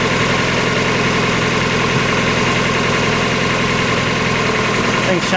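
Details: 1994 Mazda Miata, about 56,000 miles, after new timing belt, water pump, radiator, hoses and seals: steady, even four-cylinder idle with smooth hum, no knocks, ticks or squeals; healthy.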